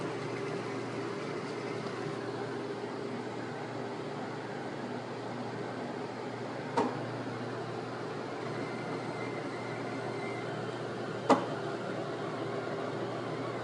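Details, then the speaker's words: Flux 3D printer, while printing another piece after a failed print test: steady fan-like hum broken by sharp, isolated clicks a few seconds apart. The noise persists despite the oil filter and an attempt to unclog the nozzle. Extruder clicking during printing. "I'm trying to print another piece right now and using the oil filter, but still making this click noise."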